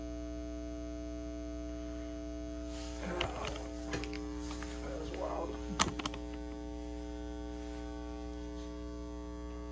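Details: Carver TFM 4.0 magnetic field power amplifier, for parts, said to need a recap: steady low mains hum and buzz with faint clicks, continuing even with power switched off, jumping between channels; cause unknown despite changing speakers, cables, components and a power line filter.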